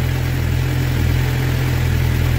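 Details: Suzuki GSX-R750 at about 2,000 km, which began misfiring, idling after the original spark plugs were replaced with new iridium plugs: steady, deep, even four-cylinder rumble with no misses or stumbles; normal idle.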